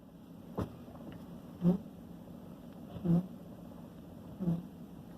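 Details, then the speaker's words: 2013 Yukon XL Denali: short, low squeaky groans about every second and a half as the steering wheel is turned, worse after driving straight a while; intermediate steering shaft lost its lubricant — squeaky steering. "we're getting a squeak from the steering wheel sometimes off and on especially if you haven't turned the steering wheel for a while"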